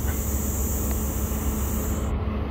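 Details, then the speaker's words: Thin, steady high-pitched hiss over low traffic rumble, cutting off sharply after two seconds; air still leaking from a punctured inner tube after a patch attempt, no bubbles visible around the edges. "there's no bubbles coming up around the edges except for maybe right there [ __ ] I can hear it hissing still God damn it"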